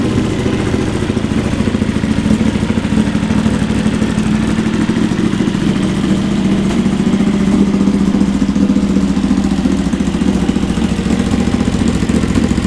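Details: Honda GL650 first start after full rewire, stock headers with crossover into a merge and Cone Engineering muffler, smoking as paint bakes on: steady, even V-twin idle with smooth low throb and no knocks; normal idle.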